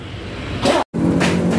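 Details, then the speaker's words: Yamaha Fino scooter whose owner reports steadily falling oil and a very harsh noise; piston rings are judged worn, needing a rebore and new piston. The small single-cylinder engine catches and runs with a steady, even hum after a brief dropout. "Vino motornya udah nyala"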